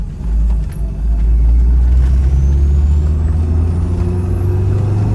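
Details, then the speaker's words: 1986 Dodge Daytona Turbo Z Shelby Edition driving at 45–50 mph after idle screw adjustment and subframe work: deep engine pull with a thin whistle climbing in pitch as boost builds; healthy turbo spool. "all those turbo noises are glorious this is by far the fastest we've ever had this thing"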